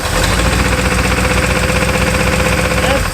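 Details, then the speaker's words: Pontiac 400 V8 abandoned about 20 years, seized barn find, just revived, oil pressure light on: fast light ticking at crank pace over steady idle, no clatter when revved. Suspected top-end valvetrain or rocker tick, unconfirmed. "Does sound like a bit of top end noise. I think it is quite fast. It's kind of crank cadence cuz your valve train does have the rotational speed."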